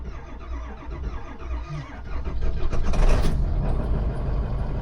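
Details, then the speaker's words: Diesel camper-ambulance rig that recently failed to crank, morning start after repair with battery voltage high and wait-to-start lamp cycled: slow, lumpy, irregular cranking for a few seconds before it catches and runs; uneven crank, cause unclear. "She was sounding a little funky there on the crank. I will admit that was an uneven crank."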